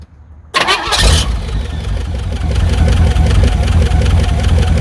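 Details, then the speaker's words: 1982 MSE Trans Am with swapped Pontiac V8, fired up after storage and washing: lumpy idle with light regular knock about two or three per second; owner suspects valve train knock, may pop valve covers. "Sounds like it has a valve train knock. So, I might need to pop the valve covers eventually, but I don't really care about this motor."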